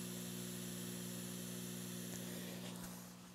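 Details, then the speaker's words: Steady low buzzy hum from a Yamaha DBR10 powered speaker when the mixer master output connects directly by P10-P10 mono cable, ground loop; owner first suspected unbalanced cables. "quando eu ligo essa mesa direto com esse p10 p10 ele me apresenta um ruído um ruído é constante"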